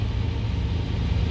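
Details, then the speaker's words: 2014 Dodge Challenger with a long-crank no-start: it now starts right up and idles smoothly and evenly, with stable fuel pressure that does not drop. The fault was the fuel pump. "right and it should start right up there we go pressure stable and not dropping"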